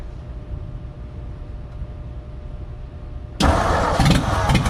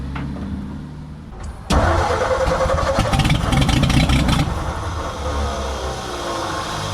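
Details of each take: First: 1957 Ford F100 running for the first time in about 20 years, choke off, no exhaust fitted: quiet crank and start, then a loud raw bark with sharp exhaust pulses at idle, running well. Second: 1957 Ford F100 being revived, on homemade spark plugs and with the choke off: the starter turns the engine fast and steady with firing chuffs, but it never catches and runs; the owner thinks the choke should have been on.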